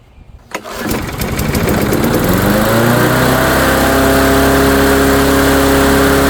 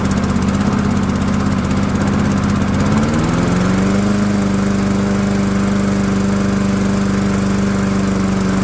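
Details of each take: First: Dynamark lawnmower with Briggs & Stratton engine, after a few pull-start chuffs catches and climbs to a high steady buzz, overspeeding while smoking heavily; throttle appears disconnected or stuck, suspected. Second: Cheap Dynamark lawnmower, after bending a part to give the throttle linkage more travel: fires right away on second start, settles to a steady even drone with no misses or surging; normal start and run.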